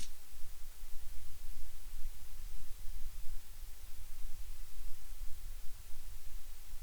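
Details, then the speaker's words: Focusrite Scarlett 1st Gen interface, mic preamp after running some time: steady low hiss with heavy low rumble; noise slope now starts at 200 Hz instead of about 100 Hz without mic, audible on decent headphones. Excess preamp noise. "okay here we can see uh that that slope already starts at 200 htz goes up quite drastically without the microphone it started only at about 100 htz and now it goes up to 200 HZ and when you're using decent headphones you do start to hear it"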